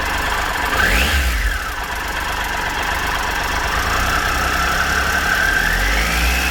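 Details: 2013 Triumph Tiger Explorer, 34,000 km, idling after cam chain and hydraulic tensioner replacement: even idle with a light, regular valve tick about four per second and no heavy rattle, no excessive ticking; normal idle.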